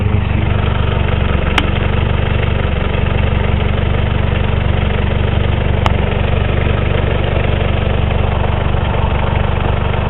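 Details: 1984 Honda Accord with straight-pipe exhaust at idle: loud uneven lumpy pulse about four beats a second, engine shaking badly, acted up off throttle at highway speed; cause unconfirmed.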